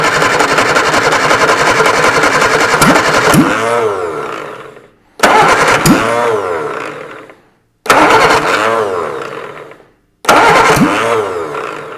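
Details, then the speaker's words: Rebuilt Reliant Super Van engine with freshly reground valves and timing just set by hand: catches and runs strong and steady on choke in short bursts of about ten seconds, no knocks or rattles; healthy running. "release the choke that sounds really sweet it did sound I wouldn't release the choke it's only run for 10 seconds just to get the petrol go down bit"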